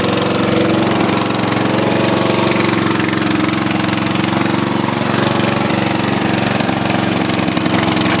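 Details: Dynamark mower engine, fresh gas, fired up first pull: fast even single-cylinder putter, about four firings a second, steady without stumbling; running fine.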